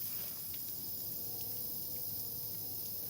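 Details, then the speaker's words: Water heater gas burner with water flow on: soft steady gas hiss and faint ticking but no ignition whoosh, burner trying to light and failing. "Okay, it's lit. No, it isn't. Oh my god. Okay, turn it off. Yeah, it's trying to light. I hear it."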